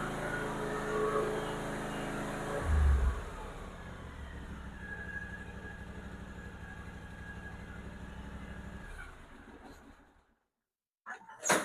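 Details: Small lawnmower V-twin engine after valve lash adjustment: starts, settles into a steady even run with no ticking, then shuts off cleanly; sounds healthy.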